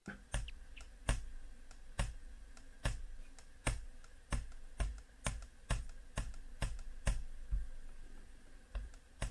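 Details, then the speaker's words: Asus Zenbook 14 UM425, Ryzen 5 4500U: sharp plasticky clacks about once a second, each tap near the bottom of the trackpad giving a loose rattling click; rattle disappears tapping higher up. "the track pad is big and wide in size but the most obvious thing here is when tapping that you hear this rattling sound"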